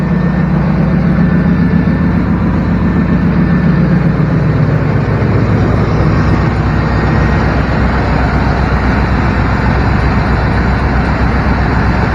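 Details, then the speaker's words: Old square-body Chevy V8 truck inspected for purchase, idling: a faint, thin squeal on top of the rumble for a few seconds. A slightly slipping drive belt, judged not a serious concern. "just a little belt squeak i wouldn't be super worried about it"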